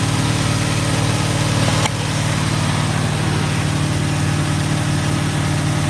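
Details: GMC truck, freshly built small-block V8 on first start with headers: low, steady, even burble at idle with no knocks; healthy, apart from an exhaust leak and an occasional backfire.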